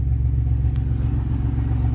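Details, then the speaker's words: 1990 Dodge Grand Caravan LE, cold start at about 35 degrees the day after getting it running: steady, even low idle with no top-end tapping; earlier lifter noise gone, owner suspects a sticky lifter freed by heat cycling. "that lifter noise is gone sticky lifter then I bet you the heat cycle freed it up"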